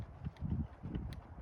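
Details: Hurley Mini Swell e-bike, 3 years old, about 700 miles, undamped front fork: dull uneven low clunks as the bike is rocked back and forth; the fork's lower section knocks on worn internal bushings.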